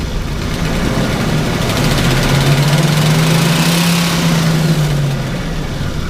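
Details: Engine in park: revs climb smoothly and evenly as the pedal is pressed slowly, no stumble; hesitation only on quicker throttle near two-thirds pedal, squeaky belt also noted, cause unconfirmed.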